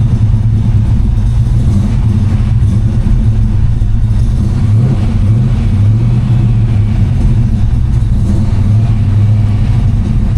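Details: Ford V8 started cold without choke after sitting a couple of days, after the belt was moved over a notch (same belt) to cure a squeal: a deep, even idle with no belt or valve squeal. Normal idle.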